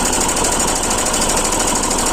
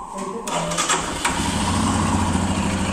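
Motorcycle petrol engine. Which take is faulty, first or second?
first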